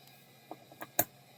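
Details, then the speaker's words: Seagate Barracuda hard drive at power-up: a few faint, scattered seek clicks over a soft spin hum, then nothing; power-up seek test stops short, drive likely not working. "now I don't think that one was working that didn't sound like it did the full seat test"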